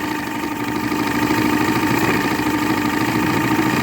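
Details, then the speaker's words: 1976 Johnson 85hp Javelin V4 crossflow outboard after carburetor rebuild, warming up: uneven, lumpy idle loping about three times a second, sounding close to stalling but never does; rough idle. "yeah that's better it sounds like it's going to stall but it never does"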